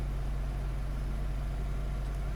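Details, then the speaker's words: 2010 Honda Civic EX 1.8L sedan, hot from sitting in sun, idling with A/C turned off: low, even hum at constant speed with no hunting or surging; idle perfect with A/C off, fluctuating only when A/C compressor clutch engages. "so our idle's perfect it's definitely fluctuating when we have the AC on"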